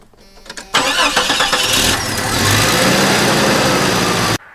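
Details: Jeep starting after replacing corroded battery terminals; short crank, then catches cleanly and settles into steady, even run with no stumbling; normal start, repair successful.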